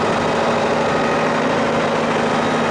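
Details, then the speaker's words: 1965 Massey Ferguson 40 hp gas backhoe tractor, cold weather, sat for days (previously months unstarted): starts right up, steady even idle with constant rumble, no misses, knocks or surges; healthy reliable engine. "It starts right up. The guy said he didn't start it for months and it popped off just like it did today."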